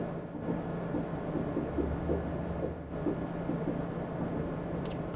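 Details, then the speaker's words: 2010 Chevy Impala idling after a brand new exhaust was installed, checked for leaks at the clamps: soft, steady low rumble with no puffing or ticking at the joints; normal quiet idle. "and there it is, brand new exhaust. So it's going to be much quieter."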